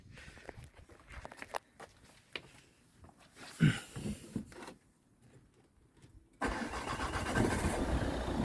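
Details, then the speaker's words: 2008 Ford Kuga Mk1 2.0 TDCi AWD diesel after new auxiliary drive belt fitted: brief crank, then steady even idle; engine-bay clatter from the old worn belt gone, normal start and idle. "so let's give the car a start and see if we still got that noise fingers crossed"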